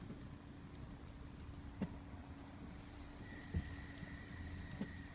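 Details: Audi A6 C7: a few sharp, uneven clicks every second or two over a quiet low rumble, a knock/crunch from the steering or suspension when turning the steering wheel.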